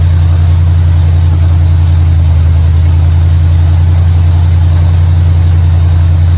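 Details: 1955 Chevrolet Bel Air after fixing ignition, electrical and fuel issues with a bypass switch and carburetor tuning: deep, steady idle with an even, regular beat, no stumbles or knocks; normal idle.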